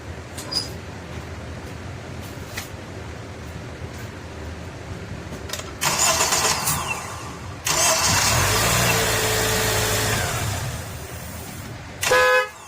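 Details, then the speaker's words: Acura TSX after starter replacement, first startup (before, it only clicked): the starter spins briefly, the engine fires and settles into a steady idle, then a horn toots. Crank and start are normal. "Sounds good though. Sounds really good."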